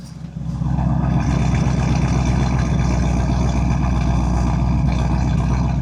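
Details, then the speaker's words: 1961 Buick LeSabre V8 running after fuel line replacement; a steady, deep, smooth rumble with no knocks or misses; the owner says it runs pretty good, so this is normal running. "But yeah, so she's running pretty good right now."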